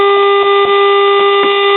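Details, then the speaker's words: Admiral radio after 12SA7 tube replacement, reception weak; steady hum broken by irregular static, pops and cutting in and out, caused by silver migration in the 2nd IF transformer's mica capacitors, later replaced with 100pF silver mica capacitors. "but all that static and popping and cutting in and"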